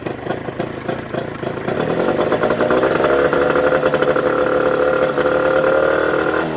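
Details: Mercury 25HP two-stroke outboard in neutral after the Boyesen power reeds are fitted: revs up, then holds a steady, even buzz without stumbling or misfire. Normal idle, running smoothly.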